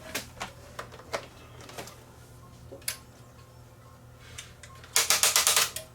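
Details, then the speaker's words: Sony EDV7300 ED Betamax recorder, powered up after manually cycling the loading mechanism: scattered sharp clicks then a harsh rapid ratcheting burst of about six snaps; the mechanism tries to engage the pinch roller but sticks and unloads by itself; binding. "That didn't sound good. Uhoh. It did unload by itself. I don't like that sound. That's That's a bad sound. That's trying to engage the the pinch roller, but it's not. It's sticking."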